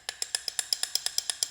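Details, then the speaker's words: Vauxhall/Opel Corsa C inner tie rod rocked by hand during pre-MOT checks: sharp hollow clicks about eight a second; loose, badly worn inner tie rod ball joint needing replacement. "as you can hear. Absolutely had it."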